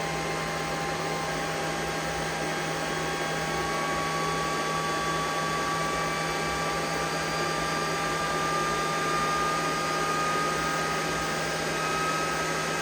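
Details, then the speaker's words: EG4 Chargeverter Plus battery charger under load with the charging voltage raised to 58 V and the batteries at about 76% charge, drawing about 94.5 A. Its cooling fans ramp up to about 11,300 rpm with a rushing, slightly rising whine; normal full fan speed. "Sounds like the fans are up there at that 11,000. Yep, 11,300. So we've reached that."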